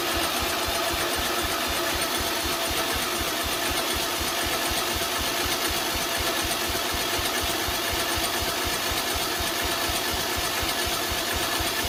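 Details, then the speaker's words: Project mower's small single-cylinder engine after carburetor, solenoid and starter linkage work, running on choke: steady, even beat with background music. It fires cleanly and keeps running. "should be getting fuel sounds like it has compression excuse me uh it's on choke starter linkage appears to be working so we will see"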